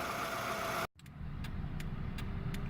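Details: 2002 Toyota Camry after Bear's True Blue head gasket sealer for head gasket leak from pulled rear head bolt threads, idling: steady low even rumble, no sputtering or misfire; normal idle.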